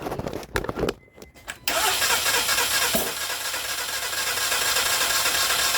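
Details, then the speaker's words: Towed-in car, fuel pump previously replaced, cranking from cold with fast, even starter spin, no compression rhythm and no firing; no-start caused by a broken timing belt. "because yeah the timing belt broke and just like the 2012 Accord that I did"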